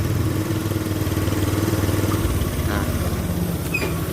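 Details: Honda BeAT FI scooter that stutters, stalls while riding and is sometimes hard to start. Here it puts out a steady, even putter of about two pulses a second with no misses or stumbling: normal idle.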